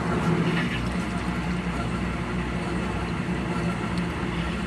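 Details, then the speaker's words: GE/Hotpoint top-load washer that won't spin, in diagnostic spin test after lid lock: steady low drone and dull hum that never builds into a proper spin; oily drive belt slipping, belt later replaced. "I heard a noise that doesn't sound right. We're gonna stop it."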